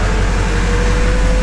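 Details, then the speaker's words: Duramax diesel in a K20 truck build, started: steady, even diesel rumble with a faint constant whine on top and no knocks. Normal running. "Want some throttle? We're gonna give her some throttle. This thing sounds so good."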